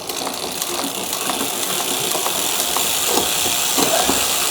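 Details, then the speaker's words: HUP Featherweight youth XC carbon race bike, Shimano XT 10-speed, after the barrel adjuster on the shifter was screwed in two turns to cut excess cable tension that made downshifts sluggish: quick, even freewheel ticking with clean, crisp shifts and no hesitation. Normal shifting. "Back down again. Much better. Very nice. In fact, 10 speed is just so nice."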